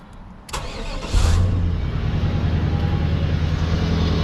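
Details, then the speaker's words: LT1 Caprice 9C1 V8 after water pump, Optispark, new plug wires and radiator hoses, check valve vacuum being tested: cranks and catches quickly, steady even smooth idle burble with no knocks, healthy start and idle. "hey this thing sounds good it must be the green hoses yeah this thing sounds nice that sounded good"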